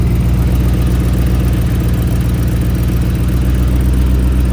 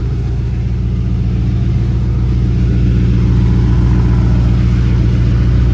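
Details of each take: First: Racecar idling rough and deep with a puffing, chuffing beat about four times a second from an exhaust leak, heard during a nut-and-bolt check for weird noises; the leak was then fixed. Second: Race car at startup after the X pipe was leveled and exhaust rubbing was fixed: loud, deep, even idle with no puffing or ticking; no exhaust leaks; normal idle.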